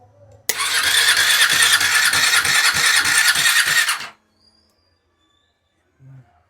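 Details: KTM Duke 390 that won't self-start, started by bridging two terminals with the toolkit tool to bypass: the starter whirs with regular pulses, about three a second, for roughly three seconds; the underlying cause is unknown.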